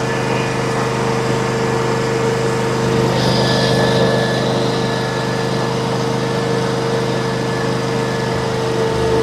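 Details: Steady, even idle hum with no misses or knocks from the 27 hp Kohler engine on a Miller Trailblazer welder, previously backfiring and sputtering through the carb and not starting; now running normally after repair.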